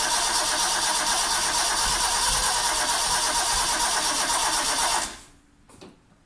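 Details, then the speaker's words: Vauxhall Chevette (HSR replica) sitting for years, first start attempt with a sluggish starter after adding an engine earth: long steady cranking, about three turns a second, never catching; hard starting traced to incorrect ignition timing and firing order. "various things right mess of the ignition timing a little bit right so we spent ages messing around with the ignition timing and firing order etc got it starting good running fairly well just it's racing like crazy"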